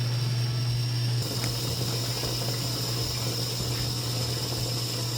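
A steady low electric hum with a faint high whine and sloshing liquid: the fuel pump is running and pushing fuel out, though weak output is only suspected.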